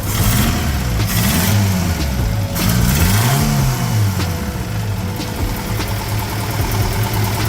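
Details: Ford Capri with a reconditioned Pinto engine, now running: a low throaty engine blips up and settles cleanly, no misses or knocks. Normal running.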